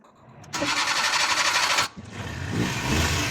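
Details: Suzuki mini pickup after starter repair, with its rusty positive terminal cleaned: a quick even cranking whirr, a brief pause, then the engine catches and runs steadily; the starter is healthy.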